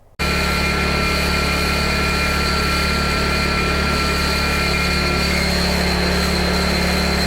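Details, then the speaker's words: PowerTrain 900 Watt generator, pull cord ripped out: fires into a steady even buzz, running pretty decently, though the original not-starting problem remains. "it sounds like it's running pretty decent"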